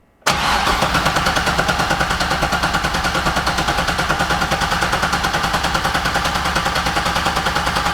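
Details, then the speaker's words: LS6-swapped Volvo wagon with big turbo and Holley Terminator X ECU, first-start attempt: starter spins steadily with a regular chug but never fires. The new crank sensor didn't change the ECU crank readings. "nothing unfortunately and the sensor didn't even change any of the readings from the ecu on the crank so i'm worried that the sensor isn't even the issue"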